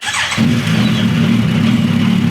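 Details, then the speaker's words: High-mileage, long-sitting Suzuki Bandit 1250 engine, warm restart after running and smoking, disliking high rpm: brief starter whirr, catches at once and settles into steady even idle; healthy warm start. "it fires right back up. It's an old bike."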